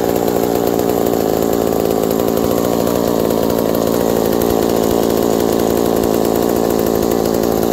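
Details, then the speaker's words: McCulloch 790 MC101 chainsaw with Walbro WB37 carburetor on adapter, running with bar and chain fitted: steady even high-revving two-stroke buzz, no misses or surging, idle drops slightly; normal running. "after putting the bar and chain on it the idle drops slightly but it's perfect right there the chain just bumps forward a little bit and everything"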